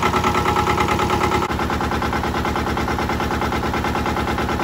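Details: Mitsubishi MT372 diesel ride-on mower, auction-bought, modified dash without glow plugs: steady even chugging at fast idle, no knocks or misses; normal diesel idle.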